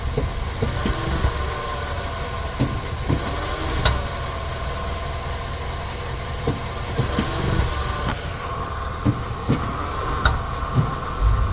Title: clunk sound when shifting to reverse sentra 2019 part 2